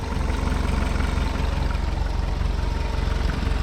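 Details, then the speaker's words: Automatic VW Golf Mk3 with intermittent erratic idle (suspected vacuum leak) that also burns some oil, now idling: a smooth, regular idle pulse with no hiss, hunting or misfire. Idling normally for now. "all right now it sounds pretty much fine i don't hear any vacuuming i don't think"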